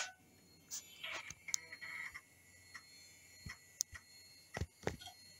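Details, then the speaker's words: 1997 PC, rebuilt after motherboard short and failing floppy drive, booting from boot floppy with CD-ROM support for Windows 95 install: scattered sharp ticks and head chatter, floppy seeking and reading normally. "can hear the dve doing its thing so I'm going to start the computer with CD ROM"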